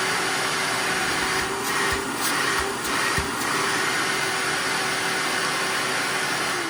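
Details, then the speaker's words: Shop vac after a full teardown and oiling of the motor bearings, which had whined, ground, overheated and smelled of burnt plastic: a steady rush of air over a smooth hum with no grinding or whining. "all right so there's no more grinding or whining noise on the bearings"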